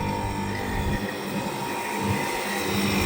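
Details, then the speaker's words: AC outdoor unit started by direct connection via MCB, compressor and fan motor switched on: steady even hum with smooth fan rush, no knocking or rattling; compressor and fan running normally. "Fan motor चलने लगा, compressor आपका on हो चुका है। जो आवाज़ आप सुन सकते हैं,"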